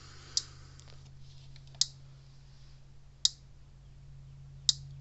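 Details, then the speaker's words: Gallagher Power Plus S50 solar fence charger on a roughly 13 V bench supply after a switch repair: sharp loud snap about every 1.4 seconds over a faint hum, louder than normal, as happens with age. "Okay, it's putting out good, but hear that loud snapping sound? These usually aren't that loud."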